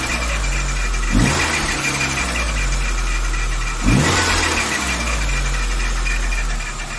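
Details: VW Saveiro G4 with AP 1.6 engine idling with the valve cover off; irregular knock over a lumpy rumble, source up front not pinned down; owner suspects the timing belt or pulley, unconfirmed.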